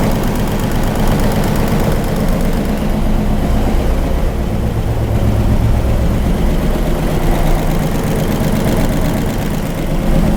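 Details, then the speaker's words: 1967 Ford 427 V8 idling on the dyno with good oil pressure: fast light top-end ticking over the rumble, noisier on one bank than the other; suspected lifter/valve train noise, left to idle to see whether lifters fill up. "This one's much noisier. The other side is much quieter. This side's noisy, but I'm gonna let it work a while."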